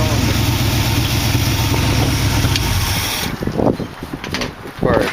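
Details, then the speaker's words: 1914 Dodge Brothers car with dual Edelbrock carburetors, before carburetor cleanup and rebuild kit, heard starting: lumpy uneven idle with irregular stumble, missing on one cylinder, then fades; misfire at idle, cause not confirmed. "But just to give you a little taste of how it starts. You'll hear it missing on"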